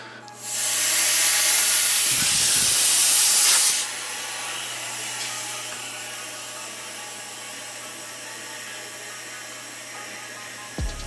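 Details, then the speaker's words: Newly plumbed shop compressed-air system with copper water trap, filters and regulator being pressurized: loud rush of air filling lines, then quiet steady hum with no hissing at 80 psi; no leaks. "you hear that guys that sounds like success not a single leak in this whole system now that is what i'm talking about so it looks like we're at uh 80 psi on the gauge there and i don't hear a single leak so i think we are a hundred percent good to go"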